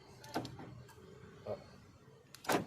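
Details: Toyota Innova remote central locking, after joining two rat-chewed wires: two quick mechanical clunks a couple of seconds apart, lock then unlock, crisp and even; door actuators working normally.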